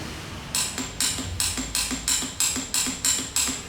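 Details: Motorcycle starter clicks sharply about three times a second but the engine never cranks; the starter solenoid is suspected.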